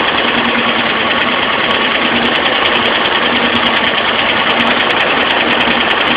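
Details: Alfa Romeo Spider petrol engine running steadily with a light, quick tick about three times a second over the top end; a valve lifter tick is suspected while vacuum readings are checked.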